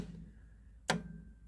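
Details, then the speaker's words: Club Car golf cart, voltmeter between solenoid terminal and battery: solenoid clicks twice as accelerator pedal engages micro switches but gives no voltage; scored contacts, solenoid needs replacing. "so in this particular solenoid As I push the pedal down you'll hear it click but I don't get any power on the voltmeter irregular power"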